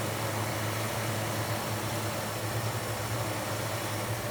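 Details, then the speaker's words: Repaired Mustang limousine, fuel delivery now working, running about half an hour without stalling while idle speed and fuel mixture are still being tuned: steady even hum with low drone, no knocks or misses; runs smoothly. "To, čo ste počuli, ako ide auto dobre, bude sa treba s nimi spreviesť, nech všetko si sadne, nech všetko je jak má, ale benzín nám ide, auto sme už mali naštartované asi pol hodinu, nezdochne."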